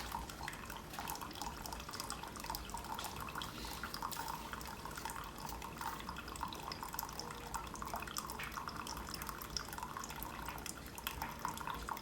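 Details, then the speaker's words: Keurig Supreme, brew finishing and still powered on; steady trickle with light gurgling and sputtering as air clears; brewing normally, hot water dispensed. "it's looking good still powered on finishing its cycle still powered on and you can see got a cup of steaming hot water"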